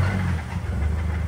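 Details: 2010 Mazda 3 2.3 turbo that barely runs and keeps dying: heavy rough low rumble under revving with deep bottom-end knock, rod knock; oil found full of metal, engine to be dropped and swapped.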